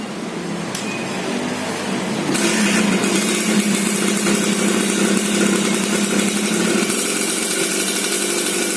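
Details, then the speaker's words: Restored two-stroke Suzuki Satria underbone with a ported engine, running: crisp buzz climbs as the throttle opens and holds steady without misfires or stumbles; tuning is judged okay, though stock gearing makes it too aggressive. Normal running. "Ini motor sudah hidup lemes suaranya kurang lebih seperti ini Dengerin dulu ya"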